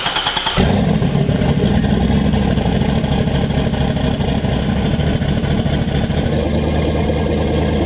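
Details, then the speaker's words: LS V8 in a Volvo 240 wagon started after swapping the crank sensor pins: it catches and settles into a loud, choppy, lumpy big-cam idle that shakes the car, with good oil pressure and slightly high fuel pressure. "Oil pressure was good. Everything was good. Fuel pressure looked a little high."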